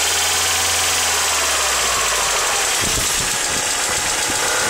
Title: Mercedes C200 W202 -96 knocking noise